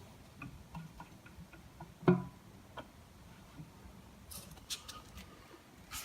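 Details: Mazda MX5 engine on an engine stand with a broken big end, turned slowly by hand. Faint light ticks, then one solid metallic thunk where it stops dead. Something metal is being hit; the flywheel bolts are ruled out.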